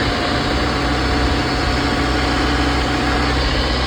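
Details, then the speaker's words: Ecco petrol car after engine change, started briefly then wouldn't start; no spark current to plugs, new crank sensor didn't help. After new ECM and repaired burnt wiring it starts at once and settles into a steady, even idle; normal idle. "गाड़ी start हो गई है। Out time से start हो गई गाड़ी।"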